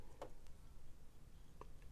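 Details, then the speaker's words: Sewing machine bobbin insertion, thread run around the bobbin case: faint single sharp click as thread seats in the groove, meaning the bobbin is correctly seated and ready. "When you hear that click on that little thing and it is in here, in that little groove, your bobbin's ready to go."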